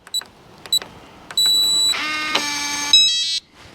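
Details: RV door lock, unlocking by keypad code: short keypad beeps as the code goes in, steady electronic tone and motor click of the bolt retracting; unlock works normally.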